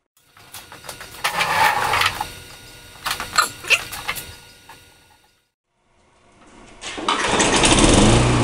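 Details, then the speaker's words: Tecumseh mulching mower, formerly surging, after carburetor repair (part 632547 fitted at the emulsion tube base, a plug found in the idle circuit): a few pull-cord tugs, then the engine catches and holds a steady, even drone without hunting. It runs great. "so it runs great"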